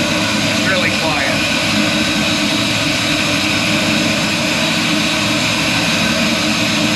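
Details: First fire-up of a restomod 1964 Ford F100 with a 6.0 L96 LS V8 and a new mandrel-bent H-pipe exhaust with Flowmaster 40-style mufflers: quick crank catches into a steady, even roar with no misses or popping; the engine starts and idles normally.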